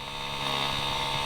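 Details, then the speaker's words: Ford Sierra Sapphire RS Cosworth after new brake lines were fitted and fluid topped up: steady electric whine as the brake servo pump motor runs continuously on pressurizing instead of cutting out; owner hopes it is air in the system and plans to bleed the brakes. "right now the motor's just continually pumping I don't know if you can hear it there I'm hoping it's because it's air in system"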